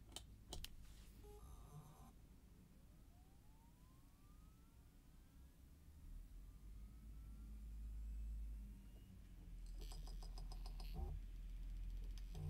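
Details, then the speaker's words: Seagate IronWolf Pro 14TB NAS drive spun up again after quieter idle, separate mic with noise slightly boosted in post: soft clicks, then faint whine climbing steadily in pitch as platters come up to speed; normal spin-up. "so once again we're going to spin that drive up i'm going to end it on the spin-up of this drive just to remind you about the spin-up noise of this"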